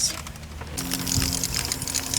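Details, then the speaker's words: BMW E90 328i (N52) after radiator replacement: electric coolant pump activated by bleeding procedure (key on, engine not started, max heat, AC off, gas pedal floored 10 s); steady hum over splashing coolant, cycling on and off for up to 12 minutes, normal. "That's the pump working and bleeding the system. It's going to be on and off. That is normal."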